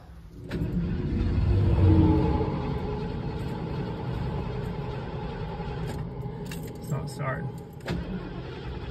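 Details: 1991 Ford E350 Winnebago Itasca, 460 big block, after a long trip: starter cranks steadily at about four turns a second but never fires. Fuel pump is heard running; fuel starvation suspected, cause unclear.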